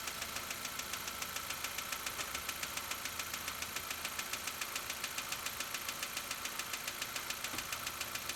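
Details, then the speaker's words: Petrol engine idling with sharp, even ticking from noisy valve lifters, still present right after adding Lucas Heavy Duty Oil Stabilizer and before driving about 720-750 miles. "You can still hear the ticking since we just put it in."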